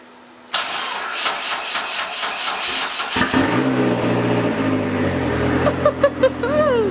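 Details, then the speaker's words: Neon SRT4 first start after a new clutch install: starter cranks a few quick turns, catches and holds a raised, steady idle; cold engine high-idling until warm, air/fuel ratio right, needs fresh fuel. "all right you can tell it's uh needs to warm up because it's obviously high idling which that'll go away"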